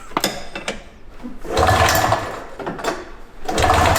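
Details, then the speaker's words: Vintage snowmobile, sat for about 20 years with ongoing ignition points issues: two hard pull-start bursts that turn over without firing; owner suspects it is still flooded; crank, no start. "She's flooded still. This thing is freaking finicky."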